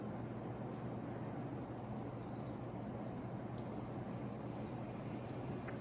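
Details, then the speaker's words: Hampton Bay Gazebo Plus 52-inch ceiling fan in copper patina, running: a constant low electrical motor hum under the airflow with no rattles or clicks; the owner is not concerned, noting these fans often hum. "that's not it's nothing i'm really concerned about see i can i know it's humming but i can i can definitely tell like i would hear it humming a lot above like upstairs"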